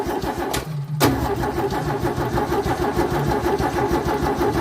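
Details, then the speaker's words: 1964 EH Holden Ute with a fuel delivery problem (owner suspected blockage): cranked with ignition off to prime lines through an inline fuel filter; steady rhythmic starter churning, no firing; fuel then spits out, lines primed. "Let's give it a crank. There's no ignition. Shouldn't start."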